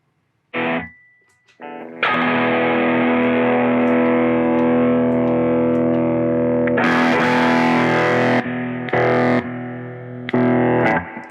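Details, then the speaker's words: Ampeg Reverb Rocket guitar amp, footswitch cable moved back and forth: distorted guitar chord abruptly drops out and snaps back repeatedly, from a hairline-cracked solder joint at the footswitch jack, later fixed by reflowing. "Okay, that sure seems like a pretty consistently failed jack."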